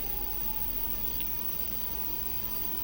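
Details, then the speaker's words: DIY front-wheel hub motor ebike, throttle test with battery fully charged: smooth steady high-pitched whine at even pitch, no clicks or grinding, much faster than at low voltage; hub motor runs normally. "Okay. You hear that? Very powerful. 750 volts. Okay, very powerful."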